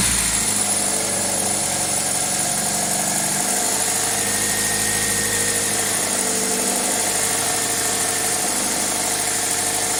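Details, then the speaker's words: 2000 Toyota Celica GTS, 2ZZ engine with throttle cable, during warm-up after a cold start: steady, even idle held too high at 1400–1500 rpm, IAC duty cycle 60%; owner suspects the idle air control valve or a vacuum leak. "idle air control duty cycle is at 60 percent but I think I think the rails are too high now we're at 1500 holy folks"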